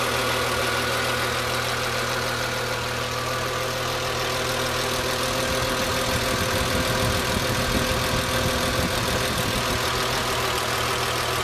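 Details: BMW M3 E36, hot engine, air pump removed: warm idle with a busy, fast ticking layered over the hum, fairly steady; abnormal engine noise when hot, cause not identified.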